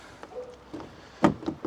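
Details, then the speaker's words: Mercedes Sprinter van central locking at the front door: short sharp, even lock-actuator clunks each cycle, working normally; side and rear doors fail to lock, traced to a screw through a hidden wiring loom behind the new wooden ceiling. "Now, I'm going to lock it again. Now, you can hear that locking."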